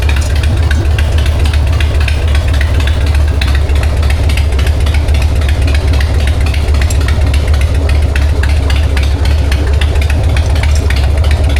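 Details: 1999 Harley-Davidson Sportster 1200, S&S Super E carb, in neutral after accelerator pump replacement: loud lumpy loping V-twin idle, steady and clean, no stumble. Normal idle.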